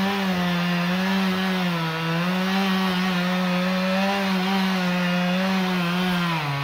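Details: Stihl MS 391 chainsaw, about two years old, cutting hard walnut logs: steady full buzzing drone holding pitch with slight dips as the chain bites; healthy, normal running under cutting load.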